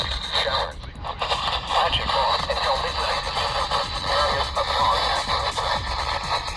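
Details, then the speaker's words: RadioShack 12-254 handheld weather radio at max volume receiving WNG538: harsh, buzzy, overdriven voice with crackling edges; speaker distorts badly, near its limit. "at max volume, the radio sounds like it's about to blow up, like with any RadioShack handheld, besides the 993, to a certain degree."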